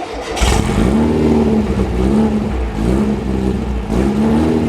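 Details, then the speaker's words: Rebuilt VW 1835 Bus flat-four driving on the road with its electric choke: strong, even drone that rises and eases smoothly under load with no misses; runs well, only the lean idle remains to fix. "but it runs good out on the road you couldn't ask for it to run any better it's just that little rough lean idle that we have to take care of"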